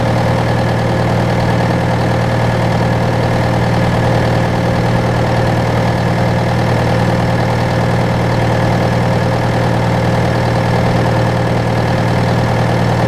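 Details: John Deere 6115M diesel tractor (about 3 years, under 1000 hours) idling after rubber fuel line replacement and electric-pump priming; steady low rumble, regular consistent clatter, no hunting or stumbling; normal idle.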